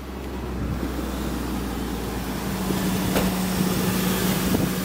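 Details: 1995 Toyota Previa, very cold after sitting, jump-started from a 3S LiPo pack once a faulty jumper clamp was bypassed; engine catches and settles into a steady, even idle with a low hum and wind noise; runs fine.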